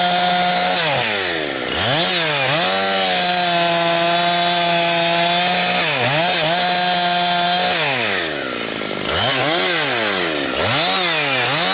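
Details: Husqvarna 362XP Special chainsaw with Walbro carb, tuned safely rich, cutting firewood. The saw screams up, then repeatedly breaks up and burbles as revs climb. It four-strokes at the limit because a previous owner fitted the wrong rev-limiting ignition coil.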